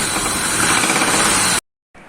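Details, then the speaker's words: Range Rover 4.4 V8 petrol at idle: loud clatter with hard metallic jackhammer-like knocking; oil filter found full of shiny metal swarf and pearlescent oil. Rod bearing knock. "имеется посторонний звук двигателя вот такого плана"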